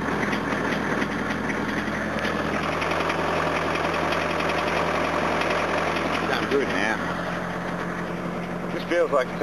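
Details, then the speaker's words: Diesel car cold-started after a cold night, given extra throttle: it idles unevenly, with an occasional stumble breaking the beat, and one cylinder seems unhappy. It smokes heavily under throttle; the owner suspects over-fuelling in that cylinder and is trying a fuel additive. Cause unconfirmed. "pretty cold night last night so i'll give it a bit extra it's not the happiest here it's a bit misfirey"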